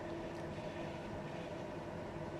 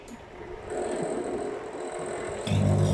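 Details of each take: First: Samsung microwave that had been running loudly and not heating, after repair (cut part in the heating/cavity area patched back over its original hole): heating sticky rice on high power, now quiet with a steady even hum and soft fan rush; rice came out hot. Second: Samsung microwave switches on with a loud, coarse low buzz-roar from inside the cabinet but does not heat; fan ruled out as it still turns, suspected failed magnetron (heating element).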